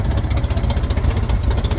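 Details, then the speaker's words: 1967 Chevrolet Corvair Monza 110 flat-six, hard starting and poor acceleration: deep, lumpy idle with uneven pulses; one carburetor not working because its throttle linkage came off and the throttle shaft won't stay in position. "So it looks like that throttle shaft isn't wanting to stay in position here."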